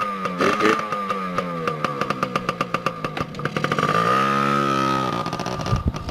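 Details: 2002 Yamaha PW80 two-stroke, cold first start after sitting 2+ years, with fresh gas and the oil pump removed: crackles and pops at idle, blips up cleanly and settles back. Runs crisp and even.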